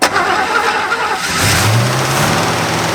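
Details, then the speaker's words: 1963 Buick with original all-aluminum 215, abandoned for decades, first start with no coolant and a holed radiator hose: brief cranking, then catches cleanly into a steady even idle with no misses or knocks. "well it has no water in it uh it's got a hole in the radiator hose but it did start right up pretty easy"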